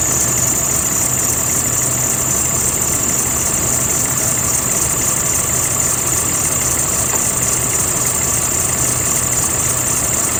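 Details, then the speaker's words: 2016 CE bus with a 6.7 Cummins at idle: constant high-pitched squeal that won't stop; serpentine belt slipping because of a weak belt tensioner, fixed by replacing the tensioner. "well driver says that the belt is squealing it doesn't want to stop so let me go ahead and turn this sucker on so you guys can hear this"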